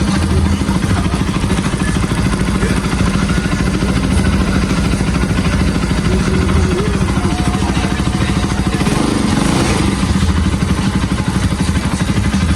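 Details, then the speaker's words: Bajaj Pulsar RS200/NS200 after timing chain reinstall (chain had jumped, valves didn't hit piston): loud, even single-cylinder thump at steady idle with light blips, no chain rattle; runs healthy. "Pues bueno, amigos, ya encendió la moto. salvó el cliente porque sus válvulas no pegaron con el pistón, solamente se salió la cadena, pero pues la alcanzó a librar."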